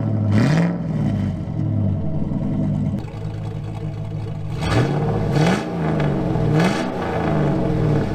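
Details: 2000 GMC Sierra 5.3 V8, Texas Speed Stage 3 cam (216/220, 112 LSA) on stock tune, fully warm past about 175-180°F; throttle blips climb then sag straight back to lumpy idle, revs dying back.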